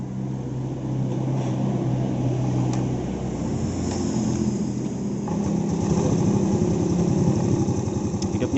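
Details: Yamaha Vega ZR bored out (previous oversize 100) and fitted with a standard Vario 125 piston instead of the Vega ZR piston, which tends to clatter. Small single idles with a soft, steady putter, no knocks or rattles; smooth and healthy.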